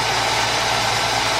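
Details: 1990 Ford Thunderbird Super Coupe, stored four years, idling after the non-crank fault was fixed and cables reinstalled: steady, even idle with a smooth hiss and no misses, knocks or surging; engine healthy.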